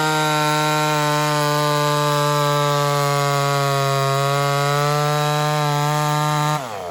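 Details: Ported Homelite Super XL-130 chainsaw on its final test run after the loose, self-turning idle screw was sorted: high, steady screaming revs hold clean and even through the cut, then drop; normal running under load.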